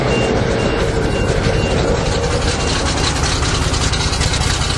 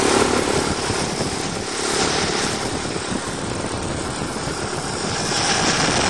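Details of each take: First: 427 big-block V8 dump truck (14,112 lb), first start since March after fuel pump wiring fix, fresh fuel, cold with choke out: loud lumpy idle running rich; owner suspects choke stuck, backs it off. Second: 427 big-block V8 dump truck, just started after months sitting, choke now open: deep, even steady idle, no misses or knocks, Bendix brake air pump hissing above; no blowby, normal idle.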